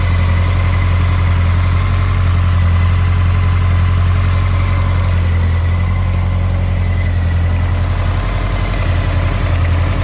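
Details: 2013 Honda CB motorcycle idling: faint, regular light tick over its deep low thrum; engine ticking at idle.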